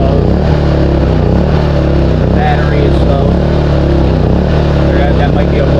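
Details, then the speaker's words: New Westinghouse iGen4000FDc dual-fuel generator, first start on gasoline, low fuel level: loud, even low drone with steady beat, no knocks or surging, idle stabilizing. Normal idle. "But there's the idle stabilizing."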